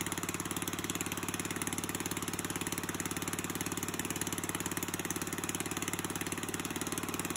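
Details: Murray push mower with a 3.5hp Tecumseh single-cylinder engine after a carburetor rebuild, hand-started: runs steady and even with quick regular firing and no misses or knocks; sounds healthy.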